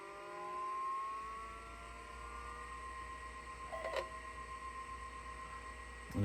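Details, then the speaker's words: 1985 HyperDrive FX/20 20 MB SCSI hard drive for Macintosh Plus, hooked to a Mac Plus: faint whine slowly climbing in pitch on spin-up with thin uneven tone; unhealthy spin-up, fault unknown. "it's making that sound it's not a good sound"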